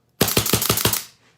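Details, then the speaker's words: Autococker paintball marker, cocked and aired up, firing to check timing. Five crisp, evenly spaced cracks about six per second with clean cycling; correctly timed, everything working. "beautiful. So anyway, so this is a good gun to look at this on because everything's working the way it should."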